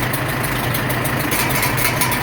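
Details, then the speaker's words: 1947 Farmall M tractor on first start after engine rebuild: steady low idle with a sharp hiss through the exhaust on every exhaust stroke; muffler has a known leak, source not located. "I don't know if you guys can hear it but it's got somewhat of a hiss coming through the exhaust seems like on every exhaust stroke"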